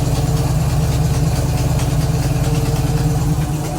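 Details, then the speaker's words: 1969 Camaro after sitting 36 years, idling in drive after new fuel pump; loud chuffing idle with a puffing pulse on each beat from a bad exhaust leak, new gasket torn at the top and blown out. "it's got a really bad exhaust leak it's it was a new gasket but I guess the top is torn and I didn't see it and once the car started to just blew out the top so that's that sound that you're hearing"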